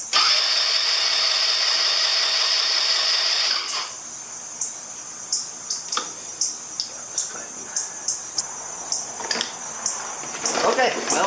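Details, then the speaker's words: 2009 Genuine Buddy 125 scooter that won't start: long hiss, then the starter turns it over with steady soft compression pulses about three a second, but it never catches; a tiny, weak battery is suspected. "that's cause you know what that does have turns sounds like he's getting compression"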